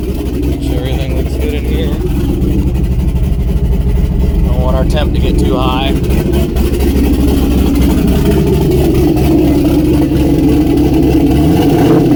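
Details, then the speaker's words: Turbo LS-swapped Miata, first start with turbo, old tune, O2 sensor unplugged: loud raw exhaust and uneven lumpy idle that never settles; runs rough, some smoke not from exhaust. "O2 sensor is not hooked up so it's probably not going to run that great but let's see if we can get some noises out of this thing"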